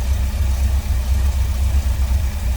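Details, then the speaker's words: 1970 Chevrolet C10 with a 350 V8, newer exhaust, Edelbrock carb and intake (possibly Performer RPM). Low, steady V8 burble at idle with an even beat and no knocks or misses: a normal, smooth idle. "Smooth running 350. Sounds good too."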